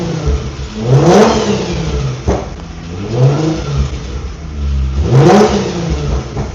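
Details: Infiniti G35 drift car with VQ V6 engine. Three quick clean blips from idle, engine picks up fast and settles back evenly. Owner says it sounds nice and revs fast: normal, healthy revving.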